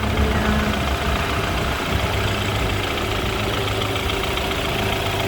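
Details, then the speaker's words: 2013 BMW 528i xDrive, 2.0-liter turbocharged four-cylinder heard at the engine bay while warming up. A steady, even hum at idle with no misses, ticks or knocks: a smooth, normal idle. "All right, so up here at the engine bay, looking at the 2-liter turbocharged 4-cylinder, you'll find it idling very smooth. I'll let you hear it uninterrupted idling."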